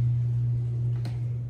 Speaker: i don't like how that motor telegraphs that 60 hertz hum into the beams which is quite loud and obnoxious actually